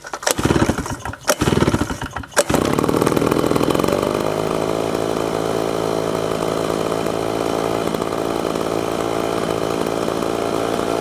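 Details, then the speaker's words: Redmax blower after carburetor replacement and tune-up: a few pull-start tugs, then the two-stroke engine fires right up and settles into a smooth, steady idle, initially set slightly high. "flower's running really smooth right now fire right up so at first the idle was a little bit too high"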